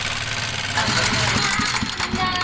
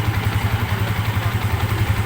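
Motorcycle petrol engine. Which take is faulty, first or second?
first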